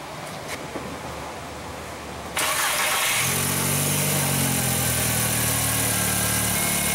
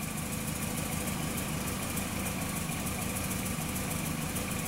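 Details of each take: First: 2004 VW Jetta 2.0 litre after repairing cylinder 3 misfire with new dealer coil pack, plug wires, plugs and smog pump mounts: catches promptly, brief flare, then steady even idle with no stumble; running normally. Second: 2004 VW Jetta 2.0 engine with P0303, misfire counters rising on cylinder 3 only: idle runs rough with an uneven, stumbling beat over the engine drone; cylinder 3 misfire.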